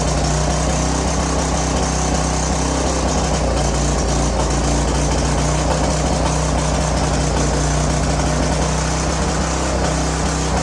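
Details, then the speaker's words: Curb-found greasy string trimmer, small engine with oil topped up (was low), oil previously in cylinder and intake, runs at a steady even buzz with no surging or sputtering while smoking a lot from the oil; normal running. "that's a winner we're getting a lot of smoke off of here but remember that cylinder was covered with oil there was oil in the intake"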